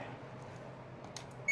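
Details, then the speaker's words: Samsung 7.5 kg automatic washing machine with no power, after replacing the defective power supply (burnt IC) with a 5/12 V module feeding the main board: quiet, then one clean steady high power-on beep; board now powered properly. "power yan buhay na siya So galing na yung kanyang supply dito sa aking main board"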